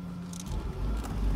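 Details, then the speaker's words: 2000 Fiat Panda Young (141) pulling away after rebuild for worn rings and oil in combustion chamber: new rings, valve seals, oil pump, timing chain and tensioner; smooth even low rumble rising gently under load, no knocks or rattles, healthy. "ma è proprio un'altra cosa io un motore di panda così silenzioso non l'ho mai sentito"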